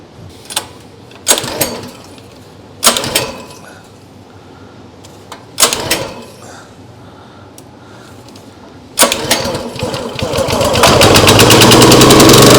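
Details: Briggs & Stratton CR950 208cc engine on a Diamond 25-ton log splitter, unused for a couple of years, starting after carburetor cleaning with choke on and throttle midway: several pull-start bursts without catching, then it fires around nine seconds and climbs to a steady, even run.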